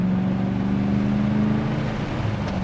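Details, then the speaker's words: Gen 3 Hemi Dodge Challenger V8 during tuning on a base tune, exhaust believed stock, possibly Flowmaster mufflers: a deep, steady drone with a mild rumble and no rasp. A daily-driver exhaust note, so normal. "Perfect like daily driver exhaust. Nothing too crazy."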